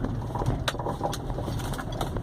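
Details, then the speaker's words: Peugeot 307 driven over a potholed street: irregular hollow clunks and rattles on each bump, like something loose inside, seeming to come from the dashboard's right side, gone on smooth straight road; broken upper strut mount. "Não sei se tá dando pra escutar direito, ó. Parece que tem coisa solta dentro do carro, né?"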